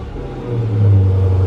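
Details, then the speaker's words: Dodge Challenger Scat Pack V8 after Pedal Commander install on throttle position sensor: quick throttle blip from deep idle rises cleanly and settles without stumble; throttle pedal working normally. "the throttle pedal is working."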